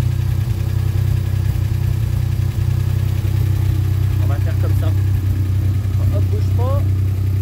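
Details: Alpine V6 idling through newly fitted competition exhaust silencer before a test drive: loud, deep, steady drone at an even beat with no misses or knocks; normal idle, everything seems to work.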